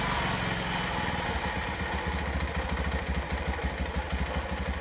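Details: Yamaha Vixion/Jupiter MX single-cylinder after replacing a worn, loose-in-the-middle bored cylinder block that let oil past the rings: steady, even putter, no knock or rattle; runs healthy after repair, normal running.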